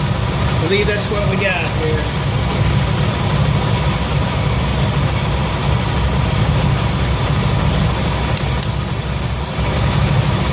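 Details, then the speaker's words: 1966 Ford F100 V8 after Pertronix electronic ignition upgrade, idle around 700-750 rpm: steady, slightly fast lumpy idle, no knocks; timing about 10 degrees over-advanced, to be retarded to 10 degrees BTDC. "so we just fired it up you could tell the timing was a little fast"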